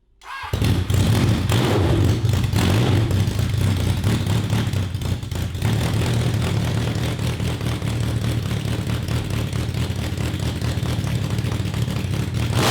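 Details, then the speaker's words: 1982 Honda CB750 carbureted 750cc four for a cross kart, with timing checked, held wide open: it stumbles and breaks up instead of climbing past mid-range, won't rev over about 4000 rpm. The owners conclude it is a fuel problem. "so we got a fuel problem"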